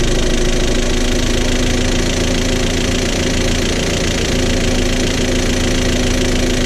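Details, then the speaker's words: Jetta wagon that broke down within ten minutes on a buyer's test drive, now with a tailpipe smoke cloud. Rough running with a hard tapping top-end knock over a low drone. Owner doubts the timing jumped and suspects an oil-passage blockage; unconfirmed. "so the good news is I don't think the engine jumped I'm feel like it's almost like there's a blockage and the oil passages somewhere I don't know because like the top end makes a lot of noise"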